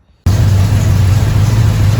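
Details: Freshly rebuilt Chevy 283 V8 in a 1974 Chevy Nova with rebuilt carburetor, first start: fires from silence into a steady, even low rumble with no knocks or ticks, oil pressure up; healthy running.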